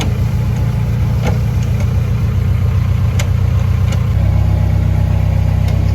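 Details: K-swapped Fiat 124 Spider after hydraulic clutch install, with a pedal stopper added to limit throw after the clutch fingers were suspected of rubbing the flywheel: steady, even low idle rumble, no rubbing or grinding.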